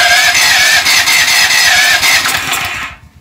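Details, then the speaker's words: Powerfist 420cc engine on a pressure washer, new after two years of storage, fitted with a new BPR6ES plug: steady cranking at two or three beats a second but it never catches, even with carb cleaner; low compression. "it sounds like it's trying so what I'm gonna do is spray some carburetor cleaner in there and we're gonna try it again"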